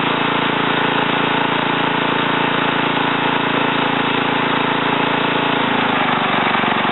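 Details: Ariens TA20A Trans-a-matic rototiller after engine rebuild and plate-clutch repair, carburetor untouched, tilling in a wooded area: steady single-cylinder chug about four beats a second, evening out under load, no misses or knocks; normal running.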